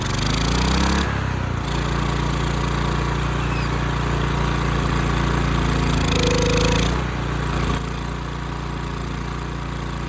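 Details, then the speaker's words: Ridgid generator's Yamaha MZ360 single-cylinder engine, about 10 years old, idle 4 years, after carburetor cleaning. Speed sags and climbs unevenly instead of holding steady. Throttle hanging up, possibly running lean; owner plans pilot jet adjustment and to recheck the carburetor. "Okay, the throttle is sticking a bit, and it also might be running a bit lean."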